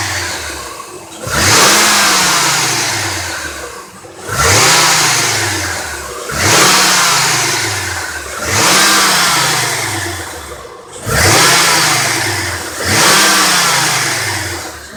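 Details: 2003 Honda Accord 3.0L V6 6-speed manual under repeated hard revs: a bright, bell-like alarm-clock metallic rattle, worst in low gears on engine braking and loudest at the lower passenger side; heat shields ruled out, belt tensioner or A/C compressor suspected, never found.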